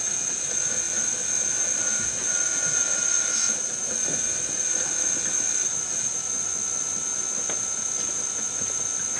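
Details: DIY EV electric power steering: Freelander power steering pump driven by a car alternator adapted as a motor; steady high-pitched whine with constant hiss, no knocks or surging; pump runs evenly, noise mostly from the inefficient alternator motor.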